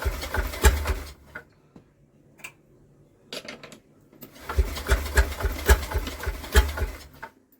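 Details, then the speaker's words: Villiers WX11 engine fires with good spark, bursts of rapid popping strokes while pulled over, then dies away each time; catches briefly but won't run, not apparently blown back; owner suspects possible timing issue. "so it's definitely got a good spark I can hear that but for some reason it just doesn't want to fire in a life"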